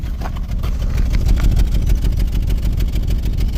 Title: 2013 subaru 2.5 misfire